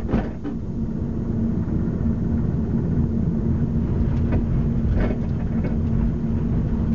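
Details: 2005 Mazda 3, recorded from the trunk: irregular hollow clunks from the rear end, mostly driver's side (owner unsure), over every bump in the road but not when the brakes are pressed; rear clunk over bumps.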